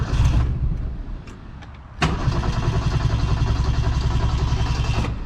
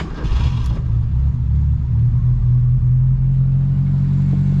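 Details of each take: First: 1972 Ford Pinto 4-speed, which nearly stalls under electrical loads; the owner suspects a leaking bad fuel pump. A weak first catch fades, then it fires and runs rough and uneven for seconds before dropping off. Hard start and stumbling. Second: Abandoned 1972 Ford Pinto 4-speed running on fresh gas from an auxiliary tank catches and settles into a steady, even low idle rumble with no knocks or misses.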